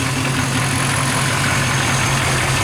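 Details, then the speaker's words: 1997 OBS Chevy with manual conversion, EGR delete and standalone computer still awaiting a tune, well tuned with regular oil changes: deep, steady V8 idle burble with an even beat, no misses or taps; runs smooth. "so see it runs pretty smooth not a bad deal"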